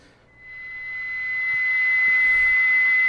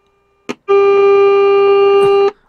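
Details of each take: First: Hallicrafters SX-99 receiver during IF alignment at 455 kHz, BFO pot not yet set: a single shrill steady whistle swells as volume comes up, the harsh beat note of the unadjusted BFO. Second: Hallicrafters SX-99 receiver during restoration, probe on pin 5 of the 6H6 detector tube: a click then a clean steady buzzy tone; detector stage passing signal properly.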